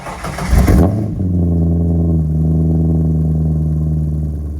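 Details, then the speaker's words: C5 Corvette spec race car with catless H-pipe and newly fitted Holley Flowtech 11145FLT axle-back exhaust: starter catches, quick rev flare, then deep steady even V8 burble at idle, no misses or rattles; sounds much better than the bare H-pipe. "What a difference. The car sounds good again, and I'm super stoked about that."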